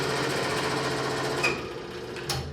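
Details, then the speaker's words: Scroll saw cutting small wooden puzzles: steady, fast buzz, then a sharp high ping as the cut exits too fast, meaning the blade is stressed and more likely to break and leave a burr; slowing down at the exit prevents it. "Another reason you slow down at the end of the cut is the thing will make a pinging noise, and that means you're stressing the blade out."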